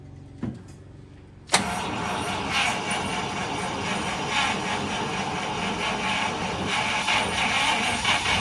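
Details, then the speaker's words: 1948 Cadillac, 6-volt system, rebuilt starter, fresh battery, rebuilt carb with a slight shaft leak, fed gas from a can, after sitting 21 years: quiet lead-in, then the engine catches and settles into steady running. 6-volt cranking is slow. "6vt systems turn over very slowly as it is. Totally different bird than a 12vt."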